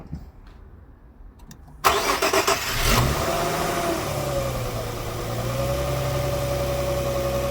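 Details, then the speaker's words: Infiniti G25 2.5 cold start after a cold night, long run on gas, mileage uncertain (170k or 270k); reported chain-like rustle; brief crank, then wavering, shaking idle, one cylinder weak on compression; valve clearances suspected, not confirmed. "але двигун Трішки підтряхує є таке що в одному циліндрі десь слаба компресія і треба це вичислити"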